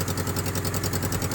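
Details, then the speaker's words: Suzuki F10A engine just after top overhaul, running without radiator coolant or muffler: steady even idle, loud and open, no misses or knocks; no smoke or oil spatter noted, runs fine. "Andar, wala na siya problema mga idol, no?"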